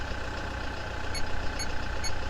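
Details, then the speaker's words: Idle after start with power probe on battery reading 13.6 V: low even unbroken idle, no knocks or misses; charging system, starter and alternator healthy, old battery caused the no-start. "Ibig sabihin, gumagana yung ating charging system. Walang problema. Napaka-healthy ng ating starter motor. At ganun din ang ating alternator."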